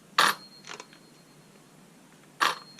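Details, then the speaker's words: Ryobi 18V brushless chainsaw, reassembled with screws in: two sharp clicks with faint follow-up ticks, motor won't spin; runs with screws out, suspected loose connection or wiring fault. "that's all it will do but you can bet if I take all these screws out it will suddenly spring back to life again"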